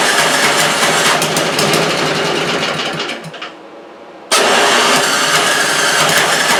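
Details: Toro 3521 snow blower (about 21-inch) with spark and compression but roughly three-year-old gas and a holed primer hose: catches on starting spray, runs ragged a few seconds, dies abruptly and restarts; fuel starved.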